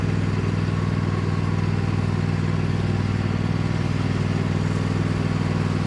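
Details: Cub Cadet lawn tractor, badly neglected, running under load on a test drive after installing an aftermarket knockoff carburetor; steady, even single-cylinder thump at constant speed, no stumbles, surging or knocks. Runs far better than expected, normal.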